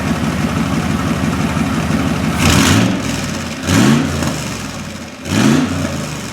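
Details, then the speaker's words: 1972 Corvette with an LS fuel-injected V8 swap and tuned custom side-pipe exhaust, warming up, heard close to the exhaust pipes: lumpy idle with three clean throttle blips rising and falling smoothly; healthy engine. "It certainly has a nice exhaust sound to it, but at idle it's quite nice too. It's nice and smooth."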